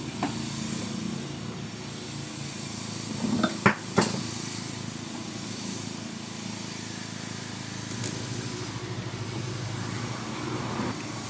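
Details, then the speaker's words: Carrier window-type remote-control air conditioner, compressor wired directly to its own plug: steady, smooth low hum with a couple of handling knocks; compressor runs hot and frosts up, so it is okay. "Yan ang kanyang compressor. 2.3. umaandar siya. Okay naman mainit siya."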